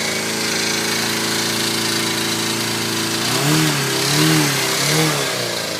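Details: FZR250R first start after a top-end rebuild with new piston rings, valve clearances set and helicoils for the head studs: a smooth, even buzzing idle, then three clean blips that rise and fall freely; running normally.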